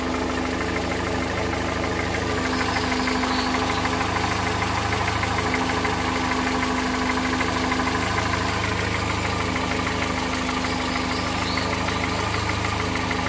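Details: 2013 VW Voyage EA111 engine at idle: regular light knock about three a second from the lower part of the engine; source not yet identified.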